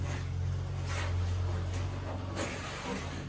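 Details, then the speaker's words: Dryer drum being spun by hand: a low hum with repeated hissy scrapes that seem to come from the top, not the idler pulley or wheels. Pushing the drum backwards and spinning it made a trapped object fall out, which fixed it. "I heard something fall, so let's see if we get that sound again, and then maybe I have to figure out what fell. Holy cow! That did it!"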